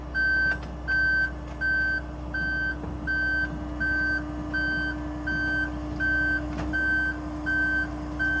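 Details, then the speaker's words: Aerial 498 fire apparatus at the rear access panel with the outriggers switch on. Steady high beeps, about eighty a minute, sound over a low engine hum while the outrigger legs deploy during normal setup. "You come to the access panel and you come to the switch which says outriggers on. You'll hear the beeping."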